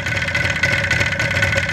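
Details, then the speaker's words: 1977 Yamaha RD400 two-stroke after rejetting, pilot screw at one turn: crackly, uneven idle that sags and stumbles after about 30 seconds, showing one turn is the lean bottom limit for decent idle. "and give us 30 seconds and if it starts to drop off I know one is the bottom end I'm just going to give it 30 seconds"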